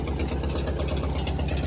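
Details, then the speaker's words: Case 310F bulldozer with 188D diesel idling, loudest at the front: rapid even clicking over deep idle; fan blade striking the fan shroud, not an internal engine issue. "Sure enough, it's hitting the shroud. So I think that's what that clicking is, rather than an internal engine issue."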